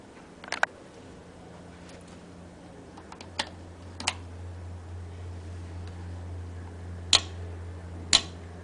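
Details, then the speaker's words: Trailer ABS valve on a test box with stoplight power applied: a few sharp separate clicks over a low steady hum as the modulators run their normal self-check. "okay so there you can hear the the clicking noise from the modulators with the stoplight power"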